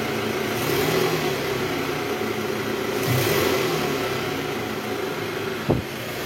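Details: 2012 Toyota Alphard ANH20 2AZ engine, about 74,000 km, after replacing broken balancer shaft with new part, in R gear with throttle: even engine note rising and falling smoothly with no knocking or rattling; healthy.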